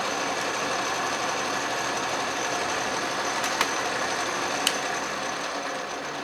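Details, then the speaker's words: Restored 12-inch Atlas Craftsman metal lathe facing scrap brass with power cross feed, carriage locked, lathe not yet leveled or bolted down: steady even machining hiss with faint regular chatter, no knocks or grinding; normal facing cut. "not too bad as you can see the lathe runs great"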